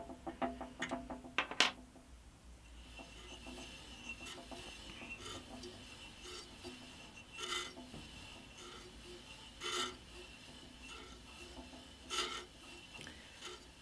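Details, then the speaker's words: Scheppach HBS20 band saw after a blade change, turned by hand while unplugged: quiet rasping with a faint scrape about every 2.5 seconds as the blade comes round. The top bushing touching the blade or the brush is suspected. "I think I do have the top bushing just touching the blade actually, but the manual does say that it should touch the blade. Actually, the scraping sound may actually be this brush here."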